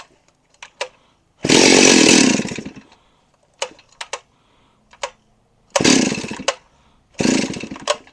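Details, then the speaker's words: Stihl 038 Magnum chainsaw after a starter clutch service, fuel tank topped up: the saw screams to life for a second or so, then dies, three short bursts in a row. It starts then bogs out; carb issues suspected. "popped right off didn't stay running though I better check his gas tank oh jeez all right bogging out right away"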